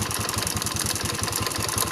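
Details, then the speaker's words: Yamaha Spark 110 motorcycle idling with a busy metallic rattle over the firing thump. Valves were already adjusted, so the cam chain or its tensioner was suspected; after teardown the timing chain looked at fault and needed replacing. "ในตระกูลYamahaนะเพื่อนๆว่าเสียงนี้เสียงของตัวดันโซ่ราวลิ้นหรือว่าโซ่ราวิ้นนะครับทุกท่านนะไม่ใช่เสียงวาล์วนะเพราะว่าเราทำการตั้งวาล์วไปแล้วนะครับ"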